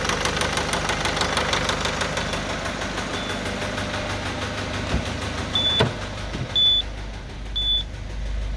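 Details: 2010 Citroen C4 Grand Picasso 1.6 HDi diesel idling with a dull, uneven knock about once a second under the clatter; bottom end bearing knock.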